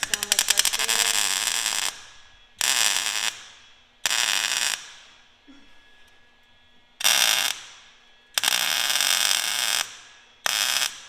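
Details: MIG spot welding the new Speedster cowl on a 1964 Porsche 356 C Cabriolet, wire speed slightly fast: six short bursts of crackling, sizzling arc like frying bacon, quiet gaps between; normal spot welds.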